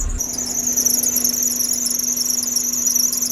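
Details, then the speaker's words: Kei car at auction in Japan, caged race-style build with coilovers, at idle with hood open: steady piercing high squeal that doesn't change pitch, later went away; squeak under hood, source unclear. "Not sure what that squeaking is. Also not sure what this is. Very loud squeak."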